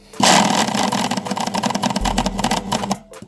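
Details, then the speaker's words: Braun MQ-500 hand blender with a brushed motor that won't run normally: the motor buzzes rough and uneven, pulsing and dragging. A bearing has seized, sticking the rotor, and the brushes overheat. "Eee, bu iç kısımda yatak sarmış. Artık eee, manyetiklerin olduğu kısmı yapışmış resmen."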